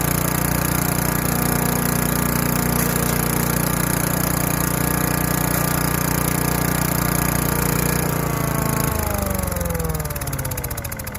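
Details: Craftsman Eager 1 4hp chipper vac 987.799790, auction flip, sucking up wet, gigantic leaves through a hose of about 10 ft. Steady engine drone with fan whoosh for eight seconds, then pitch sags as it winds down; working fine.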